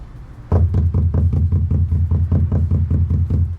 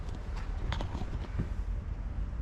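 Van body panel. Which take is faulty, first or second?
second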